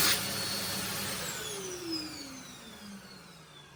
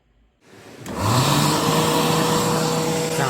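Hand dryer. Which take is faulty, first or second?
second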